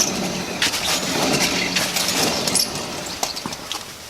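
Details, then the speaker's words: 2004 Chevy Tahoe Z71 jacked up, front wheel spun by hand: dry dragging scrape with faint squeaks; wheel also loose while tie rods and ball joints check fine, so worn front wheel bearing hub. "Hopefully you guys can hear it there. The wheel's kind of dragging and squeaking as I spin it."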